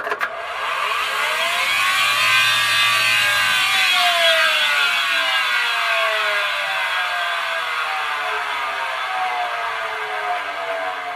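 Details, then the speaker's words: Road-drying blower: harsh, rasping grind with wavering whistling tones over the blower's rush, the sound of badly worn rotor bearings; damaged bearings warrant contacting support and limiting machine use. "This is how badly worn bearings sound like."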